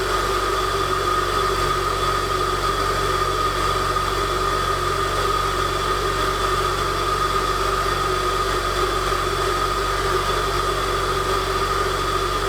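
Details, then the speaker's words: Saab 9-5 (NG) A20NFT turbo, first test start after K04 turbo rebuild with billet compressor wheel: cold start with secondary air injection pushing lots of air, a steady airy whine over an even, smooth idle; normal. "this car has what's called secondary air injection so at startup it should heat up the engine really quick so it pushes a lot of air in the startup sequence then it calms down"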